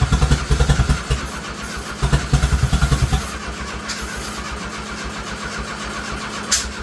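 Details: Turbo Dodge Daytona (1985 Daytona Turbo or 1991 Shelby Daytona) with no exhaust fitted: rhythmic cranking pulses, then it catches into a loud, raw, even open-pipe idle that runs steadily without missing. Normal start and idle.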